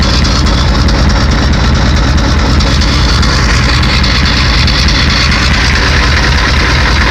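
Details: 1991 7.3 IDI diesel: loud, heavy clatter at idle with an uneven, lumpy low rumble; rough idle, owner suspects bad injectors, not confirmed.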